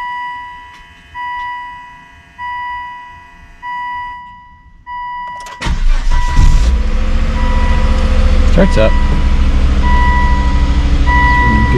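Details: Volvo S60 at 73,513 miles, sometimes cranked without catching, after replacing cam and crank sensors: dash chimes, short crank, quick catch and smooth steady idle with no stumbling; healthy start.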